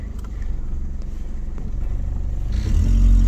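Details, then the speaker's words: Saturn wagon, 375,000 miles on the body and 100,000 on the engine and transmission: steady low puffing tick at idle, about four a second, rising as revs pick up; an exhaust leak with intermittent rattling. "she's a little loud but uh there's an exhaust leak and there's some rattling that happens um actually it's not really rattling much anymore oh no there it is"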